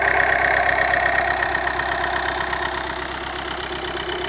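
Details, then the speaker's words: VW Jetta TDI diesel, first start after a timing belt change done without removing the motor mounts: a steady, even idle clatter with no misses, knocks or surging. "look at that sounds like we're running"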